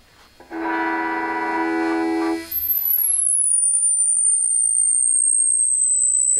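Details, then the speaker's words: TrainWreck Liverpool guitar amp build after reconnecting the negative feedback: a chord cuts into a piercing high squeal that sags in pitch. The feedback is likely wired backwards (reversed), and swapping those connections is planned. "But you hear the nice feedback and squeal. We'll see if that can be fixed now."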